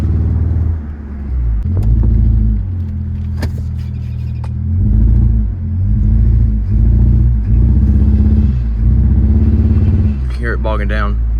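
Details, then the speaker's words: 2004 Mitsubishi Eclipse GS 2.4 with a cylinder 2 misfire code. Engine revs unevenly with a lumpy, stumbling pulse and bogs down on acceleration. The cylinder 2 spark plug looked burnt and seemed backed out; coil packs were also suspected. Cause unconfirmed. ">> I don't know if you heard the dude still bogging down there."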